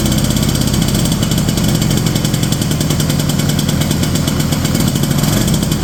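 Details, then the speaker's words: 1970 Ski-Doo Olympique 335 two-stroke snowmobile from auction, choke off, high and low speed jets being turned in: lumpy sputtering rich idle, lots of gas spitting from carb, dies on revving; owner suspects leaking carb diaphragms. "Kind of seem like we're getting a lot of gas to shoot out of that car."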